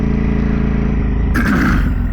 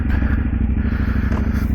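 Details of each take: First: 2010 KTM SMT 990 75-degree V-twin, riding on the road: lumpy twin-cylinder running with a loose metallic clatter riding over it, worst mid-clip, from the rattling exhaust. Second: 2010 KTM SMT 990 75-degree V-twin, valve checks done: deep, loping, uneven-firing thump at idle, beating steadily with no mechanical clatter; sounds healthy.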